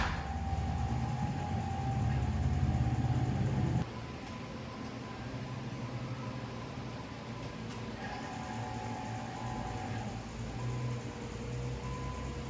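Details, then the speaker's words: First crank and start of rebuilt 2005 Cummins diesel after bleeding air: heavy low chug for seconds, then quieter even run; good fuel pressure, quiet lift pump, check engine light suspected MAP sensor; normal first start. "let me show you guys we've got good fuel pressure we've got a check engine light i'm sure that's probably just for the map sensor or something no leaks no funny noises coming from the lift pump"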